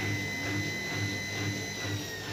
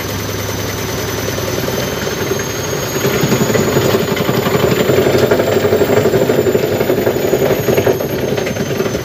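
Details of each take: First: dan kalau posisi cuci kosong Hai normal-normal saja ya tidak ada getaran sama sekali mesin cuci ini keadaan normal normal saja Second: Side-loading (front-door) washing machine on spin cycle vibrating violently, thumping and rattling hard at about four knocks a second over a heavy rumble; cause still to be checked.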